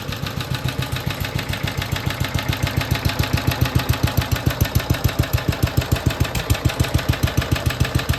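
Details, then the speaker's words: BSA/Villiers 119cc Sloper two-stroke with centrifugal clutch, after carburettor/engine service: a steady, even chuffing idle at about three and a half pulses per second with a soft breathy breather note and heavy flywheel; normal idle, running sweetly. "You can hear that lovely little breather sound. There's not many engines that have that sort of rather nice sound to it. That lovely heavy flywheel."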